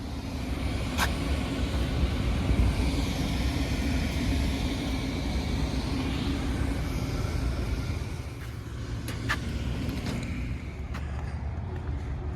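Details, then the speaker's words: Daikin rooftop unit, two-stage gas heat, after replacing the failed gas valve (no-heat call), W1/R high and low called: steady low roar and constant hum, no surging or clatter; burner and blower run evenly. "Check your settings. W1 and R, high and low. Gas is on, hit the power. Running."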